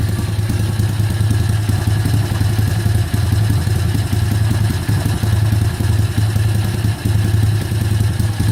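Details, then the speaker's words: Kayo YX140E Klassic pit bike single-cylinder engine, throttle opened a bit more then held steady: low thumping note dips and surges every couple of seconds with stumbles; hunting idle and misfiring. "Добавляю газа. Ручка газа в одном положении, обороты пляшут."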